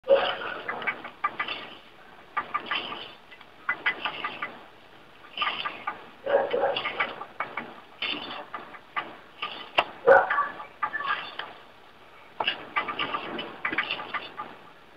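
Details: 2005.5 Audi A4 Quattro 6MT, 32,000 miles, driver's front wheel spun by hand: repeated bursts of dry ratchety clicking, absent two months earlier; passenger side silent. Humming/howling worsening for 3 months; wheel bearing or CV axle suspected, unconfirmed.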